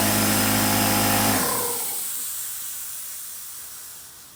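Loud, steady motor-and-pump drone at even speed, then it switches off and winds down smoothly; noisy but healthy compressor.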